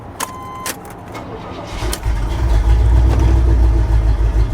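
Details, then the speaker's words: Salvage 40k-mile Porsche Boxster with an apparently new ignition, started at auction: a few clicks and a crank, then it runs lumpy and uneven with stumbles. It is misfiring; a wrong firing order is suspected but unconfirmed. "there it is yeah it runs very poorly very Orly it's definitely got an exhaust on it"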